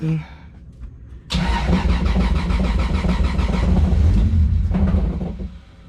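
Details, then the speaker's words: Wife's Toyota Supra, first startup after rewiring: engine catches and settles into a rough idle with a loose metallic rattle that changes with clutch pedal; clutch fork rattle in bellhousing, a known issue since purchase. "bars are rattling y'all here is the clutch fork all right you'll see it turned on alright guys hear that rattling watching the hit the clutch see I gotta fix that"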